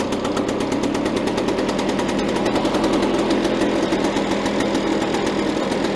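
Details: Victa Power Torque VE40 two-stroke mower after replacing carburettor main jet (engine was flooded at first): fast crisp even popping with no stumbling; runs cleanly.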